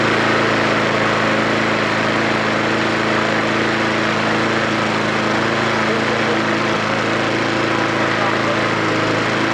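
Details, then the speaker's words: Mountfield SP470 lawnmower, free and stored for years, first run: even, strong, steady engine note with no missed beats or stumbles; running cleanly and healthily. "there's no missing the beat draw it's really really strong yeah"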